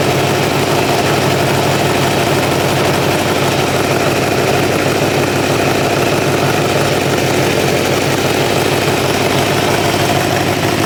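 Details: 1986 Kawasaki Ninja 600R four-cylinder with a coolant leak, idling as temperature comes up: steady, even idle with a smooth quick pulse and no knocks or misses. It runs nicely.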